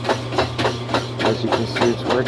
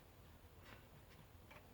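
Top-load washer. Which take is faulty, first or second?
second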